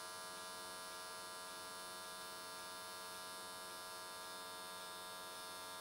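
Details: AC TIG welding an S13 catch can at 95 Hz square wave, changed settings to smooth things out: even, steady high buzz with no crackle, sputter or breaks. Normal, stable arc; weld done in one session.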